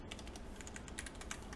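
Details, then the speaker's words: Carbon fiber LJD61up mechanical keyboard rebuilt with lubed stabilizers on a plate without loop tabs; rapid uneven key clacking with loose rattle on heavier strikes, spacebar stabilizer rattle. "you know that rattle just really gets me going it's like oh man I can't type without the rattle I just want I just want to keep pressing that spacebar hear that rattle of course it's lubed"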